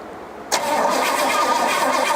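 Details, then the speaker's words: 1972 Pontiac LeMans barn find, sat about 20 years, cranked with the fuel pump pumping fuel that looks like a lot of water: starter spins steadily but it never fires; crank no start, no spark seen. "Well, in other news, it didn't look like we had any spark."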